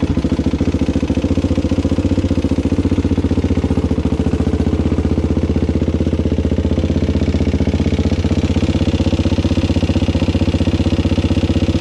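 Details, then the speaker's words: Suzuki LT-Z400 single-cylinder ATV, cold, on choke, just after valve clearance adjustment, before oil change: steady busy top-end clatter over the thump, still noisy; owner suspects it may just need warming up. "so so it's still sort of noisy that's still rather noisy ain't it i think that's still sort of noisy you guys"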